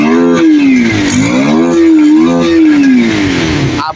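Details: Kawasaki Rouser 180 motorcycle after a light tune; before, it stalled when revved and was hard to start. It now starts easily and picks up cleanly through several blips, with the pitch rising and falling smoothly and no stumble or cut-out. Normal revving.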